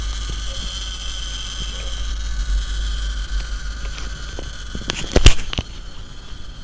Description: The inverter is producing a crackling sound that seem to originate from the 3 phase pcb.